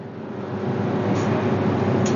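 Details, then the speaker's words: Whirlpool dryer set to 60 minutes, high temperature, that runs but won't heat: steady, even drum rumble with low motor hum, no knocks or scraping; drum and motor run normally, heater and thermostat still to be checked. "the machine already got machine start machine is [Music] [Music] running now I will show you the machine is running but not getting heat"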